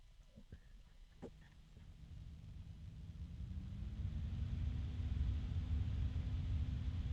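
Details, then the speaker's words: Thermalright Frozen Notte 360 ARGB AIO CPU cooler fans as Prime95 small FFTs starts, microphone near the fans: quiet hum rising steadily in pitch and loudness over a few seconds as fans spin up under full load; normal, fairly loud. "like okay so as you can hear it's gotten pretty loud now now is that still very loud not to my ears"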